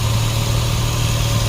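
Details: 2004 Nissan 350Z 3.5L manual, brought in for crank-no-start suspected immobilizer fault, now running about 10 minutes: steady, even low hum with no knocks, misses or surges. Normal idle.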